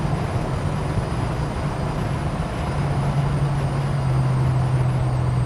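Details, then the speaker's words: Holden HK at 60–70 mph under load: low steady hum over road roar, rising slightly; owner thinks it comes from the transmission, further back than the engine, origin unconfirmed. "the noise is definitely still there seems to be more coming from the transmission than anything else doesn't seem to be coming from the engine"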